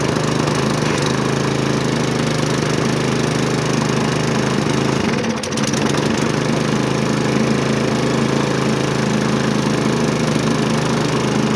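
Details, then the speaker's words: Hyper Tough push mower with Briggs & Stratton single-cylinder engine, found discarded, had been flipped around: steady, even drone with no misses or knocks, holding speed cleanly; running healthy, likely burning off a little oil. "okay be kind of hard to do a will it run video when the the engine runs I think it's burning off a little bit of oil and stuff because it was flipped around quite a bit"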